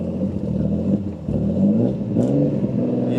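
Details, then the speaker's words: Twin-turbo Infiniti G35 with built VQ engine, cold start: engine catches, pitch tries to climb on throttle, then stumbles and dies before revving; no codes, owner suspects fuel-related cause; new throttle body and TPS. "What is that? I'm gonna give it more gas, ready? Wow, it like dies before it revs up."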